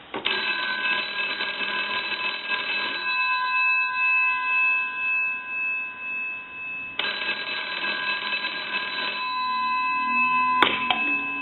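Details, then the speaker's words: GPO P&T 606 rotary dial desk telephone from Ireland, final checkout after repair and conversion; loud, bright firehouse-like double-gong ring in steady three-second bursts with pauses, clear and even: normal bell ringing. "so we'll ring it again uh I mean the bells in this in this almost sounds like some kind of firehouse"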